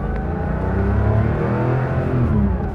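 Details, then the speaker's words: 1973-style Porsche 911S backdate (from a 1976 912) with a rebuilt 2.7 from a 1975 911, SC cams, new SSIs and a Dansk Sport muffler: a bit lumpy at idle, then a deep, strong flat-six pulling cleanly as revs rise; healthy. "yeah you can feel it's a little bit lumpy at idle but then when you"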